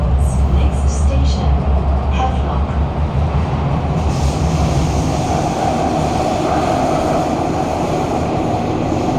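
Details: Kawasaki-CRRC Sifang CT251 metro train 2043 (Singapore TEL) in service, recorded in car 20433 at doors A5/B5: heavy low rumble and loose repeating thud at speed from severe wheel flats; loud screeching reported when braking.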